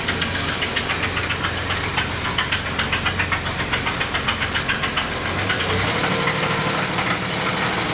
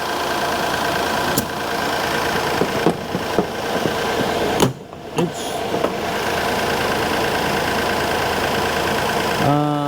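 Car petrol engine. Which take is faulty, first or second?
first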